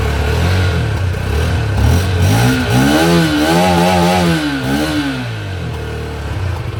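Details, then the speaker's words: Masai Furious 125 roadster, small single owned about one year with nearly 3000 km, run-in complete: even single-cylinder beat rises smoothly in pitch on each blip and drops back cleanly, no knocks or rattles; normal running and revving. "On va terminer cette vidéo sur le bruit moteur."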